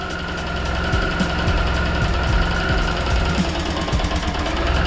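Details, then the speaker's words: 2007 Suzuki Burgman 650 Executive idling after an oil top-up and adjustments during a revival; smooth and even with no more shaking, but a slight regular tick remains, source not identified. "that think's idoling better now nice and smooth no more shaking slight tick"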